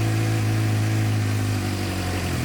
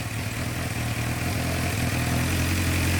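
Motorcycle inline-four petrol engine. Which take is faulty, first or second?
second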